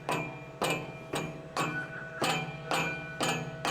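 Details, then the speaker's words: Ford Mustang GT 5.0 Coyote V8 with an aftermarket exhaust: sharp metallic clacks about twice a second over a low engine hum, heard under certain conditions such as deceleration, not at full throttle. "There's a metallic clacking that isn't just from the exhaust."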